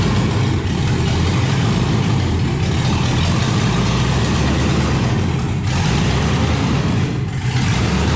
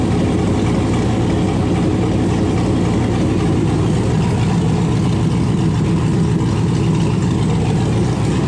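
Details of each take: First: 1971 Chevrolet Impala donk with LS-swapped V8: after dying on a light rev, rough, uneven low idle with lumpy stumbling beat, firing on only three to five cylinders; misfire on multiple cylinders. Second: LS-swapped 1971 Impala. The engine catches and settles into a steady, even V8 rumble with no misses or knocks. Normal idle.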